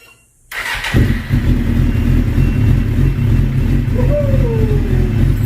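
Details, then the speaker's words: 2005 Suzuki GSX-R750 after idle adjustment: catches after a short crank and settles into a steady, even idle with a smooth low burble; normal idle, fix worked. "Sounds okay."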